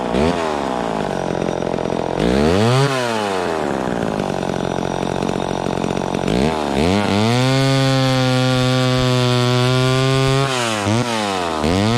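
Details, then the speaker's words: Vintage chainsaw after richening the high-speed mixture slightly, cutting wood: revs crisply and holds a steady clean scream through the cut without blubbering or surging; normal cutting under load. "there that seems right to me it was it was cutting okay the first time but then i rich ended up just a little more on the high end and it seemed to be a little happier there"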